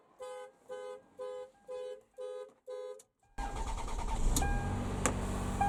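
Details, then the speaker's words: Car alarm sounds six evenly spaced horn-like honks about half a second apart, then street noise, tripped when the TACKLIFE T8 MAX jump starter's boost button was used on a very low battery. "I just wanted to forewarn you that when I ended up having to hit the boost button the alarm went off on the car cuz the battery was so low"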